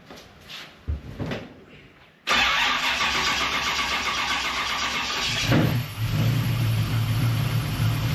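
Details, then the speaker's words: Holley EFI Terminator X/Sniper throttle body injection engine after fixing loose injector plugs: brief crank, clean catch, even idle with soft normal cold-start intake hiss, possibly the IAC; has always had loud lifters. "Now you might be able to hear it hissing normal on the throttle body systems when they first fire up, that goes away after it's warm. I think it's the IAC."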